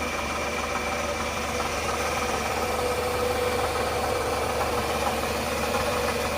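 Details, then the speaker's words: 2005 Toyota Camry (ACV30) at steady idle: constant rough growl (ngorok) from the water pump area, identified with a stethoscope as a worn water pump bearing; pump replaced. "Jadi mungkin obla atau gimana Jadi agak menimbulkan suara yang ngorok"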